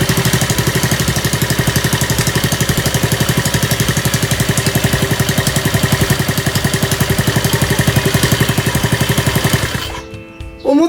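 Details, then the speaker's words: Honda CD50 engine on the bench, first kick-start after oil-leak repair and rebuild: steady, even single-cylinder idle that started without abnormal noise, despite an expected cam chain tensioner noise since oil had not yet circulated. "たほど異音もなくかかっちゃった。"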